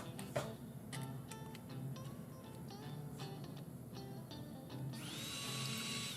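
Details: Replacement smoke fan motor in a Vision Line 700E Hudson (6-11209) main smoke unit, bench-tested on a battery after install; a few handling clicks, then a thin high whine spins up and holds steady. Fan motor runs normally.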